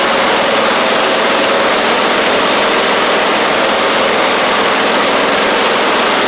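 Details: Husqvarna YTH24V48 mower with a replacement V-twin engine, new stator and added voltage regulator, charging 13.8 V; even, steady running with no knocks, misses or hunting, normal running.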